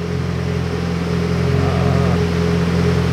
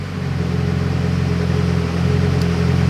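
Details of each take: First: Car on a remote-tuning laptop, idling at about 30% fuel with air-fuel around 13.6–13.7: after a fuel-table change the steady idle drone shifts and roughens, running super rich; undoing the change brings it back. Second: so we're idling right around here which is that 30% fuel so you can hear the engine change and now we're super rich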